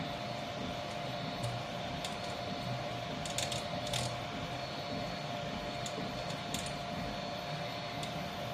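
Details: Troodon 300x300 3D printer, two days old: quiet motor hum with scattered sharp pops and cracks every second or two from the right side of the gantry. It occurs mainly when the right motor turns and increases with print speed. The owner suspects right front pulley bearings.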